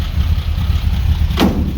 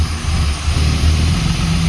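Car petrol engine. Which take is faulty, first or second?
second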